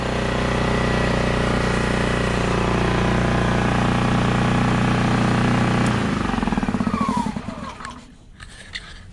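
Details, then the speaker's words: ETQ IN3500i inverter generator after an ignition coil replacement: a smooth steady hum at constant speed for six seconds, then winding down evenly. It runs reliably and makes power. "guys so it's running it's running reliably which is the most important part it's making power"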